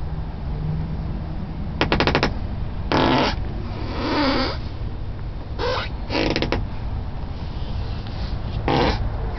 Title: Squeaking sound from Avalon driver side (left) rear door lower hinge